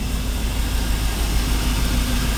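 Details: 1985 Chevy 305 V8 with distributor, idled up slightly: low uneven pulse from one dead cylinder, a single-cylinder misfire shown on a scope with an exhaust First Look sensor.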